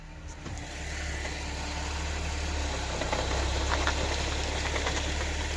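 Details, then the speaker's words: 2012 Audi B8 S4 with DSG: engine runs evenly, then a dull clunk as drive takes up when reversing; excessive driveline backlash. "2012's 4 DSG backlash and noise from the drive line when reversing this is excessive backlash"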